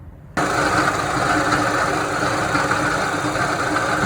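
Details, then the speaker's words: 1985 Chevrolet Astro Van, 2.5 L four-cylinder Iron Duke with AC, at idle: constant hollow whirring hum over the idle; worn water pump bearing, pump felt slightly loose. "the sound of the bad water pump as you can hear it. Kind of like how it's running right there. That's basically the sound that I'm getting when the van is on idle."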